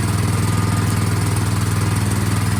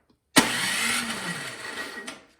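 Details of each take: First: Craftsman snowblower small engine after carburettor cleaning, primed, half choke, partly reassembled test start: steady, even fast beat for several seconds, then winds down and stops; normal running. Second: Craftsman snowblower with spark confirmed and gas in tank: electric starter spins the engine under two seconds with no firing or catch; cranks but won't start due to a fuel issue.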